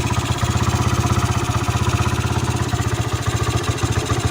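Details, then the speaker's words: Sonic after valve repair for hard starting, poor idle and noise from a valve leak, worn parts replaced: starts easily, soft even putter at idle, quiet with no knocks or ticks; normal idle. "โอเคสตาร์ทติดง่ายครับเพื่อนหน้าชายเงียบ"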